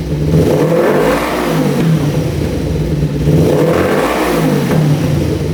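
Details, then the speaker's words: 1988 Kawasaki Ninja EX500 twin after bypassing a vacuum line, fuel flowing, idling at 1500 rpm; climbs cleanly through two blips back to idle, no bogging, stumbling or popping; normal revving. "so we just bypass that uh vacuum line going into the car plug that off now it's idling perfectly right at 1500 that sounds so much better"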